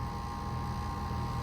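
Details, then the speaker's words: 2010 Bryant five-ton R410A air conditioner heard from above the fan: smooth, steady scroll compressor hum with no knocks or rattles, over a noisy, slowing fan motor; compressor running healthy. "Yeah, this thing has an awesome scroll sound and a noisy motor."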